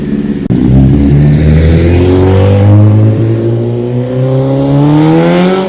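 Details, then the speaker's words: 2005 Honda CBR1000RR after rebuild, with the balancing shaft reset to cure a whining whistle: revs climb and fall cleanly with no whistle, normal revving, though slightly rough; owner thinks the idle may need fine adjustment. "That sounds so much better. Okay, so bike sounds way better. The whistle is gone."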